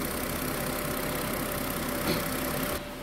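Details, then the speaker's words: Car idling after reconnecting the purge control solenoid valve hose: steady even idle, no hunting, misses or knocks; no fault codes, rpm stable at specified value, normal idle. "엔진 회전수도 지금 매우 안정적이죠. 규정 회전수 값하고 지금 엔진 회전수도 거의 큰 변함이 없고"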